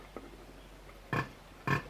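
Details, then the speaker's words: Fordson Major diesel injector on a hand test pump: two sharp chirping bursts as the pump is squeezed, showing the injector opening and closing rapidly and atomising well; a good injector. "so when we squeeze the pump this injector is what we call it cheaps or it chirs like a bird which is it open and closing rapidly and and vaporizing the the"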